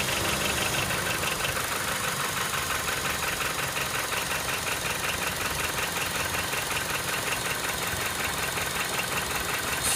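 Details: Honda StepWGN with K20A engine: fast, steady, sharp high-pitched metallic rattle over the idle, clearly from the engine; engine rattle, source not pinned down.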